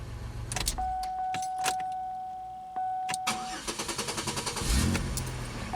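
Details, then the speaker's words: 2003 Pontiac Grand Am GT coupe with new battery: chime, then a brisk, even one-second crank and a clean catch; sounds much better than before, and the old two-year-old battery is believed to have been the culprit. "it sounds it sounds a lot better so yeah the battery i do believe was our culprit for sure"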